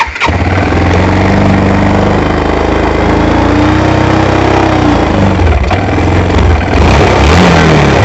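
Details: ATV after carburetor cleaning for bad gas, fuel now reaching carb, started on choke: catches quickly, then steady, even, throbbing run with no misses or knocks; healthy, idle settling before idle adjustment.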